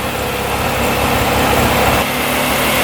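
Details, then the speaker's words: 2002 Polaris Scrambler 400 4x4 ATV, restarted without choke after sitting about an hour: steady, even single-cylinder idle with constant speed, no misses or knocks; running well. "let's see what happens running pretty good"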